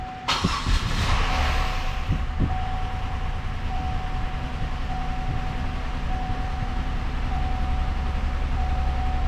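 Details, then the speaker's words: Buick 3800 V6 from a 2006 Pontiac Grand Prix with new camshaft and lifters, first run out of the car on a homemade oil sim test: it cranks, catches, then idles lumpy and uneven; rough running, cause unknown. "That is some rough."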